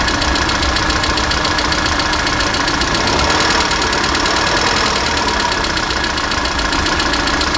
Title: Стук в двигателе 1.4 16 клп Калина